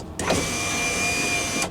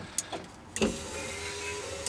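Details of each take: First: Van driver's side power window after replacing the motor, run with the engine on for proper voltage: a steady, fairly loud whir for about a second and a half, stopping cleanly. Louder than the previous motor but working. Normal operation. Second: Van driver's-side power window regulator, glass riveted to carriage: short motor whirs with a hard clack at each end of travel; regulator still moves but small plastic clips holding the piece and the cable-end hook are broken, cracks throughout, needs new regulator.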